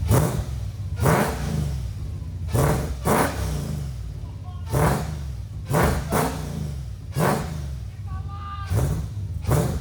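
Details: Nissan 350Z with swapped supercharged Hellcat V8, first start after months of work; big V8 barks through short sharp blips about every second, pulling up quickly and settling back, no knock or clatter.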